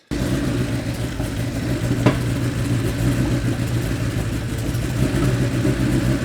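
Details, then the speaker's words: 1987 Porsche Carrera 3.2 flat-six on a test stand, fuel pressure about 2 bar, some white smoke: runs unevenly with occasional sharp pops; misfire from a faulty crank position sensor signal. "the only problem was a leak fuel just smells like gas in here it's really popping"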